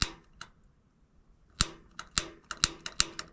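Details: Rheem gas water heater in attic, ran out of hot water: sharp, irregular ticking, some snaps duller than others, as the pilot igniter throws a weak spark; corroded igniter, only temporarily fixed by sanding, burner assembly later replaced.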